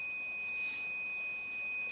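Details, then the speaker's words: 1974 Roberts R606 radio on bench power supply, multimeter continuity test across power switch: steady clean high beep throughout, continuity, switch closing properly and working. "Appears the switch is working then."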